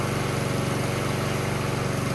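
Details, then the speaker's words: Small Honda-type engine with automatic choke and pilot jet, after cleaning the clogged pilot jet to fix surging: about 3 minutes running, past where it used to surge, steady even putter with no hunting; normal steady running, fix worked. "and that's about 3 minutes right there that's way past the point of where it had a problem before so it looks like it's working fine"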